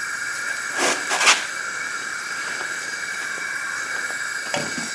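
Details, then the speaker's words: A leakdown test on a no-compression, 40-year-old Briggs & Stratton engine on a 1984 Craftsman lawn tractor gives a steady, sharp hiss out of the exhaust. The intake valve is seated and the exhaust valve looks seated too, yet the exhaust valve is not sealing. "that's coming out the exhaust so the exhaust maybe is cracked a little bit even though it didn't look like it was it looks like it's on its seat"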